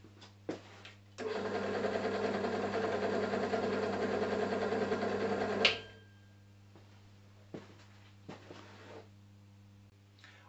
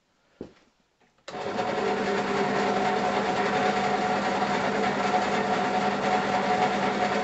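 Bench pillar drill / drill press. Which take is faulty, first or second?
second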